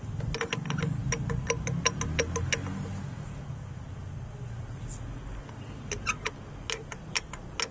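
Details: BMW motorcycle shaft drive (R 1150 GS cited), factory-sealed universal joint inside the driveshaft; sharp dry clicks in bursts, roughly three a second and not quite even, the sound of a worn driveshaft universal joint.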